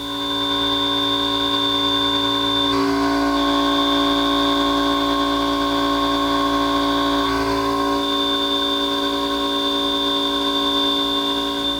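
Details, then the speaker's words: Trimill VS1614 5-axis CNC mill cutting a fixture with a Harvey 2TE cutter at 20% stepover, 150 inches a minute: clean, steady singing tone with no chatter or squeal, rigid healthy cut. "That's what a rigid machine with a good cutting tool sounds like."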